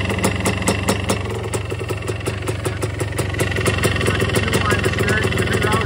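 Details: 1977 Yamaha IT250 two-stroke dirt bike, first start after top-end rebuild with .002" piston-to-cylinder clearance: steady even idle crackle, no metallic piston slap; started second kick, exhaust leak noted.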